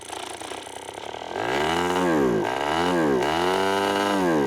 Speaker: stupid outboard starts and runs absolutely perfectly